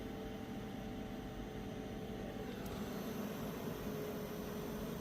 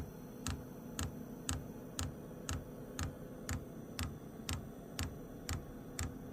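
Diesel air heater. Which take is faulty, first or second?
first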